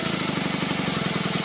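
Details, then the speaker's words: Newly assembled Stuart Sirius steam engine on a test run with no load, running fast: rapid, even chuffing with a thin steady whistle from the exhaust rather than a squeak; normal free running for a high-speed design. "Well, that sound is not a squeak. It's the exhaust whistling. But it runs very fast."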